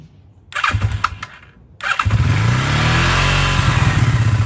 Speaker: all right so cold start it's cold engine has been sitting a few days turn the fuels on choke all the way up start it